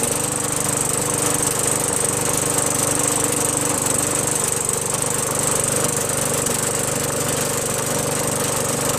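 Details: Craftsman 21-inch push mower with a 5.5 HP Tecumseh engine that only ran when primed, then stalled: after a quick carburetor clean it runs with a steady, even buzz, holding speed without surging or dying.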